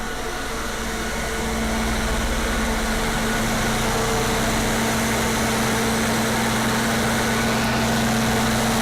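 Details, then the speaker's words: Older standby generator, one of the newer older units, with its muffler still on, running unloaded during a pre-storm test: loud, steady, even engine drone with constant low hum, no misses, knocks or hunting; healthy. "it actually has the muffler on it so it being that loud is not that loud"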